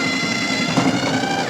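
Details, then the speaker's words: New Snow Joe iON100V-21SB 100-volt brushless cordless 21-inch single-stage snowblower: a steady, even high-pitched whir as the chute swings round fast. Chute rotation is normal, with a solid notched mechanical deflector. "Nice and fast. It has a mechanical deflector on it, lever here, nice and solid, nice deep notches on here, so it's going to hold up."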